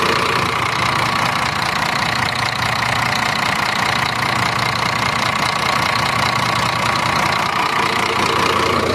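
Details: Scania truck, 13-liter diesel, idling with AC engaged: fast, even rattle over a thin whine; belts checked okay, noise traced to the AC compressor magnetic clutch.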